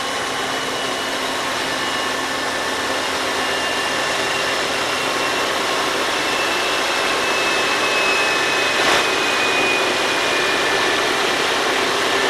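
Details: GE AC4400CW lead locomotive 4529, with mechanical problems, idles or reaches only about notch 3 with a steady low drone that never climbs. The trailing EMD SD70ACe 4149 works at notch 8 as an empty northbound train climbs the long Moctezuma–Charcas grade. The lead unit is not loading.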